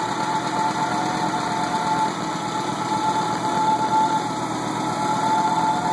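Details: 20V turbo engine, first run after rebuild: even, steady idle with no knocks, misses or rattles; settles and runs smoothly.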